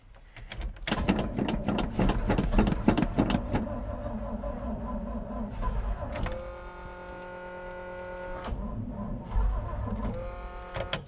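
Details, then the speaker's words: 1988 GMC 6000 cranks on a booster pack with rapid clicking, then the starter whirs and cranks evenly but never fires; it is hard to start today and the battery is known dead. "ooh this thing's getting hard to start right now it's not liking me today what the heck are we gonna do things not wanting to start today"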